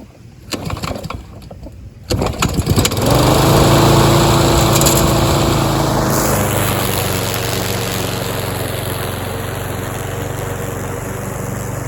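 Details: Troy-Bilt TB230 self-propelled mower, Briggs & Stratton engine, after tune-up and deck cleaning: after a couple of pulls holds a steady governed drone, dipping slightly while cutting grass; runs healthy under load.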